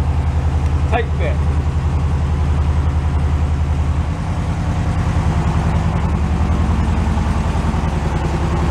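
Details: Carbureted air-cooled flat-four VW bus stored in a shipping container, cold start. A steady, even low chugging with no misses or knocks that settles after a few seconds. Normal idle.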